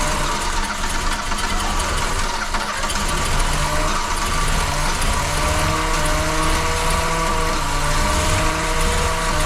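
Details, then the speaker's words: VW Golf II carburettor petrol engine right after carburettor rebuild and first restart: settles into an even, steady low idle, no knocking; white smoke everywhere from leaks, owner thinks it's normal; normal idle. "fume un peu blanc mais ça va tour super bien je trouve le bol 200 chevaux bon il y a de la fumée partout les potes vous inquiétez pas je pense c'est normal il y a tout qui fuit"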